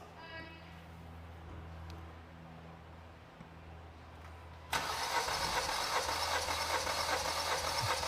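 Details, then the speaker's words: Four-cylinder engine, cranking compression test with Picoscope, other spark plugs removed for higher cranking speed: brisk even cranking about 150 a minute, no lazy strokes; about 160 psi versus 156 reference. "okay all right that's good so we'll stop the scope we're going to take another zoom in here and you'll see we do have a little bit higher compression so we go up here we're at 160"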